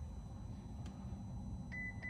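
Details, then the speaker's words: Ferrari California T, battery at 12.54, ignition on: a low steady hum then two high-pitched dashboard beeps warning of an immobiliser malfunction that persisted after a reset attempt. "I already know it's coming. Immobiliser malfunction. I'll hear the beeps."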